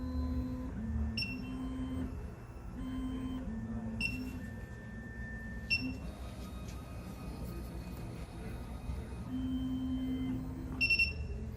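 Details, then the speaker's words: SEC-E9 key cutting machine calibration, automotive key clamp step with cutter refitted after tracer: low motor hum stepping between tones as the carriage moves, short high beeps at the end; normal calibration cycle. "So now what we're gonna do is we're gonna take out the tracer from the cutter, put back our cutter, and go on to number 1, automotive key clamp."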